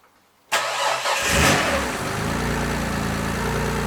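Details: 1967 Ford Anglia 105E with a Mitsubishi Galant VR4 6A13TT engine, first start after a smoking turbo was replaced. It catches after a brief crank and settles into a steady idle with no knocks, but the new turbo barely turns at idle.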